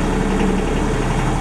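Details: Denyo DCA-15SS-N generator, 30+ years old, with a Nissan 1.6 three-cylinder diesel (18 PS at 1500 rpm), first start in years after cranking without preheat to prime oil, warming up: a steady, even low drone with no knocks, misses or surging; normal running.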